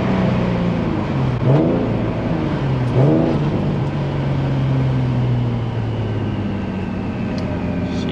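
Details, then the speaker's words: Turbo Z, first pull in over two years, boost drop issue, est. high 500s–600 hp: hard pulls through two quick shifts with steady deep drone and no boost release between gears; wastegates not opening under boost. "it just doesn't sound the same bro with the waistcoat's not opening it's it's not the same"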